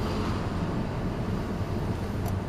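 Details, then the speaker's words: Honda Civic 2.2 CTDI that squealed from a rear wheel, after the wheel was removed and a stone likely cleared, driving slowly with window open: steady low road rumble, no squeal; normal wheel noise. "with the squirrel by now no more squeals definitely no squirrels that's it"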